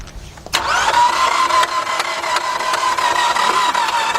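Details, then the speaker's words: 2007 Nissan Altima that would not start, during serpentine belt replacement: the starter spins unusually fast and evenly with sharp clanks and no compression beats, and it never fires. No compression is suspected, not confirmed. "it sounded like we wanted to start at first but it sound like really loud the sound has got no compression"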